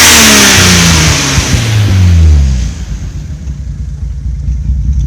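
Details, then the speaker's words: Toyota Supra 2JZ with Aristo swap, new Aeromotive fuel pressure regulator at 42 psi, 12-volt pump mod undone: revs sag, idle turns lumpy and stumbles near stalling, exhaust shaking, slight smoke; misfire later traced to the main Supra ECU. "You can hear it's like struggling to stay on. The exhaust is like shaking."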